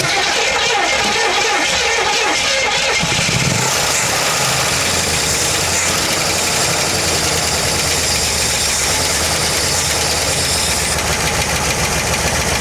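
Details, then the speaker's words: 1968 Buick LeSabre first start after sitting 35 years: catches and settles into an uneven, loping idle with light lifter ticking on top; vacuum leak at the front of the engine. "Little bit of lifter. Got a vacuum leak right up front here."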